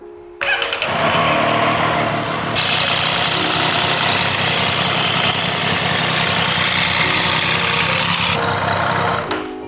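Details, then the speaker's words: Triumph 765 motorcycle with a customer-reported engine noise, revving and settling: light ticking mixed into the exhaust note; suspected to be from the cam chain, cause not confirmed. "像这种滴滴答答的声音，混着排气的声音，你们听得出是哪里响吗？"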